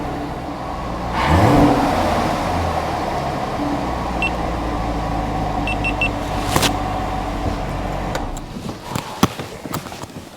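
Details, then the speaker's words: C7 Corvette after replacing the serpentine belt tensioner assembly: engine fires, flares briefly, then settles to an even idle with no squeal or chirp from the belt. Normal. "oh yeah I can't hear the Silling anymore I don't hear that Silling sound"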